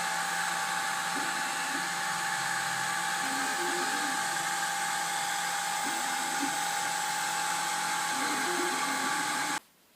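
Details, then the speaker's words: Malyan M180 desktop 3D printer printing with extruders at 210°C and the bed at 60°C; loud steady fan hiss with a high whine and faint stepper chatter, normal for high-pressure fans that also cool the nozzles. "you can hear, the fans are quite loud. This is due to the high pressure that they have to generate to also cool the nozzles."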